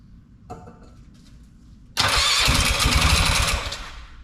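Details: Polaris Sportsman 500 ATV after top end rebuild, plenty of fuel in tank, weak pulse line, owner thinks fuel pump isn't working: starter spins it with loud even chug about four beats a second but never runs; cranks but won't start.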